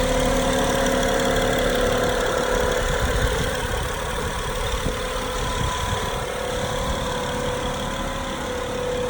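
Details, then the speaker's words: 2012 Acura MDX, timing belt, serpentine belt and transmission/transfer fluids done within 7K miles, no power steering leaks; steady thin whine over smooth idle that rises and falls with rpm, seemingly from behind the engine; tensioner bearing suspected. "okay you can see you can hear it change up and down with rpms"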